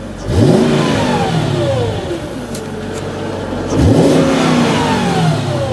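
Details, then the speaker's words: Mercedes CLK engine revved after a parking-brake-light fix: two crisp throttle blips, revs climbing smoothly and falling back evenly with a deep clean note, no knocks or rattles; healthy engine revving. "I do like this car because of the engine noise listen it's gonna get loud"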